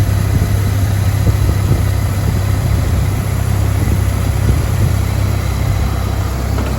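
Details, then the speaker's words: 1997 Jeep Wrangler TJ 2.5L four-cylinder after MAP sensor plug wiring repair: steady even low hum, no misses or stumbles; normal smooth idle, plugs still to be changed. "okay it looks like it runs pretty good still gotta change the plugs and do a few other things to it"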